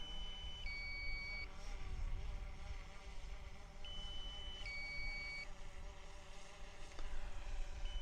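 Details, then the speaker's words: DJI Phantom 4 remote beeps a repeating two-tone warning over wind rumble as the drone returns to land; low-battery alarm set at 40 percent, battery still sufficient. "now that that beeping that you can hear is because I've set it at 40 percent so what it's it's warning me that the battery's low"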